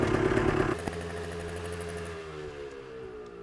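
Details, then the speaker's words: 1990 Yamaha RT180, after a carburetor slide adjustment and a new spark plug: crisp two-stroke buzz revs, then fades smoothly as the bike is ridden away with no misfire or stutter; running great. "She's out having fun. Sounds like it's running great."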